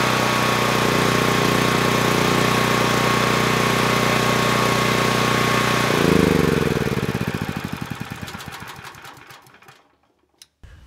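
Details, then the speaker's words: PowerStroke 6000 W generator, about 12 years old, after carburetor cleaning, loaded with two space heaters on Kill-A-Watt; even steady drone under load for six seconds, then switched off and coasts to silence; normal running under load. "now i know the carburetor runs the engine well but i haven't tested it under load so we'll do that now i want to see what the voltage and the hurts are both with and without a load to make sure that everything is good"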